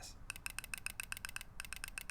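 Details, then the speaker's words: Mercedes idle control valve (ICV) after soaking in Seafoam cleaner, microphone held close: crisp rapid clicks in quick bursts, about eight a second with short pauses; valve opening and closing freely, operating normally. "Here, it's opening and closing. I wish I could see down in there."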